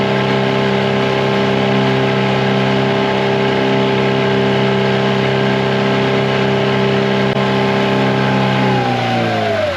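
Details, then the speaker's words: 2004 Tohatsu 9.8 two-stroke long-shaft outboard after rebuild, full-throttle lake run: steady high drone held evenly, then pitch falls smoothly on backing off; running properly, though noticeably slower than the rebuilt 2011 four-stroke 9.8. "I will say, guys, the 2-stroke version compared to the 4-stroke is a lot slower. I just noticed that right away, that the 2-stroke's a lot slower compared to the 4-stroke."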